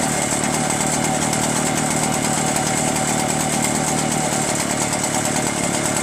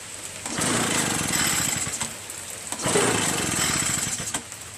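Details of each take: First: Echo PB-403T two-stroke backpack leaf blower after carburetor cleaning and magneto reinstall; it wouldn't start with the kill wire connected (owner suspects the switch), so the kill wire was removed: steady even high-speed buzz, no misses or surging; normal running. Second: Curb-found Echo PB-403T backpack leaf blower, carburetor cleaned, magneto reinstalled, kill wire disconnected, starter sprayed into intake: repeated recoil pulls with ratchety whirr, engine never catches; cranks but will not start, no spark suspected.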